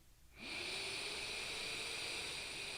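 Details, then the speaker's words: Pharaoh Mini vape tank with crackly coils; on the draw a steady high whistle holds an even pitch over the airflow hiss, a tone the airflow makes when the fire button is not pressed and sometimes while vaping. "The airflow does make a sound like a tone when I don't press the button."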